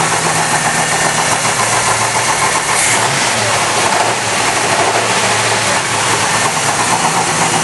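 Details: Engine at rough idle with a harsh, rapid knocking through it, suspected rod knock, not confirmed; engine later removed.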